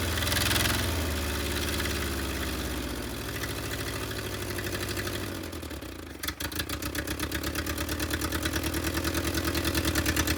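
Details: Willys CJ2A Jeep, old four-cylinder on first run, no coolant flowing: uneven, lumpy idle with a slightly irregular beat, then shut down and winding to a stop; rough idle, owners say idle adjustment is off.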